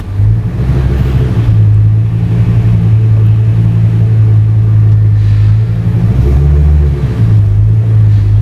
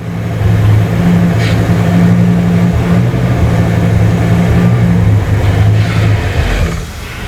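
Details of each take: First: 2002 Ford Excursion 6.8L V10 after replacing an ignition coil and plug: deep, steady idle in gear, brief dip and recovery under steering load, no longer stalling; fixed, normal idle. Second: 2002 Ford Excursion 6.8L V10, intermittent stall: runs rough with a ragged low beat, then sags and dies; scope shows carbon tracking on number nine ignition coil.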